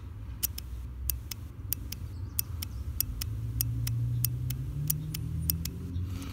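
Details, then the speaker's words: BMW E46 330xi secondary air injection relay bench-tested, power applied to pins 85 and 86: crisp evenly spaced clicks about three a second over faint hum; relay clicking normally. "so the first uh indicator is a uh tick-tock noise from the relay when you give the give a source so there you can hear"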